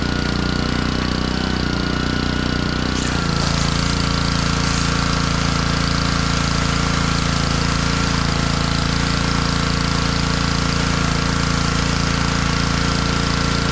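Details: Honda pressure washer that sat all year in a basement, after cleaning water from its carburetor, hooked up: a steady, even engine drone with a constant pump hum, no surging or misses once settled; normal running.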